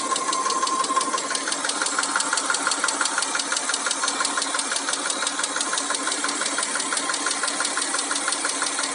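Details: Mitsubishi Montero Sport 6G72 V6 at idle: fast, even light ticking, roughly three per second, over a steady idle; hydraulic lifter tapping.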